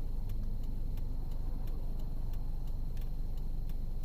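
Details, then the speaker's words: 2010 Jeep Patriot 2.4L on the road after new brake pads and rotors, pulsing gone: sharp, even tick about three times a second over low road rumble when turning, especially left turns; rotor contact suspected, wheel bearing being considered. "You can hear the rotor hit when you make a turn."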